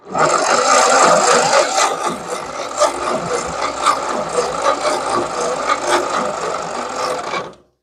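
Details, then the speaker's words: 1940s Ford 9N or 2N tractor, starter fluid poured into cylinders: slow, uneven cranking around two beats a second, some cylinders pumping compression and others not, no firing; owner suspects a stuck valve; cranks but won't start. "sounds dead sounds like you can hear that one a pumping that one's a little pumping but I don't hear nothing out of those wonder if we got a stuck Val"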